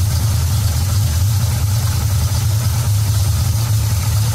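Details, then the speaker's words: V8 with Edelbrock Street Demon carburetor at operating temperature, idle mixture screws backed out from rough running: deep, even burble with steady beat, no stumbles, idling up smoothly; normal idle. "back it back out until you hear the engine smooth out you can hear it smooth out and kind of idle up"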